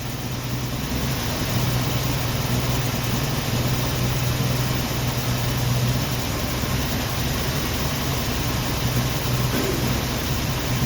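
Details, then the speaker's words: 1990 Jeep Wrangler after fuel tank install and carb tuning: revs high, low lumpy uneven idle, engine shaking; misfiring, running rough. "ribs up pretty high i don't know you can see the engine's shaking it's still running rough"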